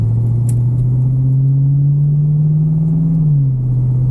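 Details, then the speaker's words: 1974 Bitter CD with Chevrolet 327 V8, warm, accelerating on a test drive after new HT leads, distributor cap, points and condenser: smooth even note climbing with load, then easing off, no stumble; the misfire under load is solved. "running sweet problem solved all good"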